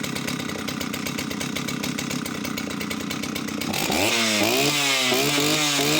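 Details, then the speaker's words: Oleo Mac 272 chainsaw: rapid even two-stroke buzz at steady speed, then clean rev-up; runs well with odd occasional misfire, owner suspects from lack of use. "She runs flawlessly as far as I can tell. Just the odd kind of misfire now and then, but that's just perhaps it's just literally lack of use."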